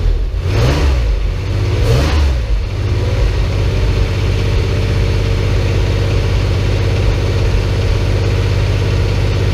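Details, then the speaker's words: Porsche 911 flat-six restarted after 10 years of storage, with a new fuel pump and filter, a temporary fuel supply hose fix and a cleaned tank. After quick blips it settles into a deep, even, steady idle with no misses or knocks, smoother than expected; normal idle. "Smooth, really. Much smoother than I thought for not having run in."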